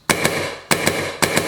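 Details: 2010 DM10 paintball marker restored after sitting ten years, gassed up with long suppressor fitted: three crisp suppressed shots about half a second apart, each a sharp double pop with clean even decay; firing normally.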